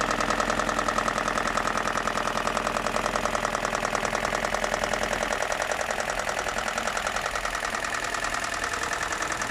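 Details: BMW M42 four-cylinder idling with a steady light knock about two or three times a second over the engine note; owner seeking help, source not pinned down.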